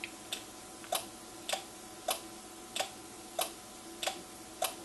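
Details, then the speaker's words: NuTone IMA4406 intercom master station before servicing, on door talk and inside patio talk: pressing the button gives sharp, repeated clicks about every 0.6 s instead of one click, so the relays (four in total) are chattering. The unit also has a failing amplifier and power supply. "And it may be a little hard to tell, but what it's doing when I push the button down, instead of going click, it's like going click, click, click, click, click, click."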